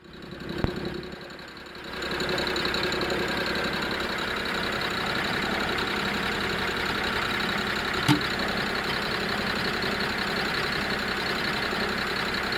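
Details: BMW E92 330i N53B30 petrol engine: steady fast rattle over idle, appeared suddenly with power loss at low rpm while driving, no codes, injectors, coils and HPFP already replaced; owner suspects DISA, not confirmed.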